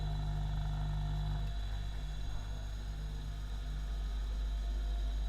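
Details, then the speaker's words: 3-phase induction motor on magnetic-contactor start/stop circuit, spinning clockwise (to the right) at a measured 2986 rpm; constant low mains hum with faint high whine, unchanging tone, no rubbing or bearing noise; normal running. "Bisa dilihat motor bergerak atau berputar. Putarannya ini kita bisa lihat dia ke arah kanan."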